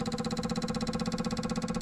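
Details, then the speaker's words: Buick Regal GS with P0440 large EVAP leak code, during pressure test: fast even ticking about fourteen clicks a second as the purge valve is opened and pressure drops. EVAP purge valve solenoid clicking. "All right, so that's the purge valve moving, okay, and as you can see, the pressure here is dropping."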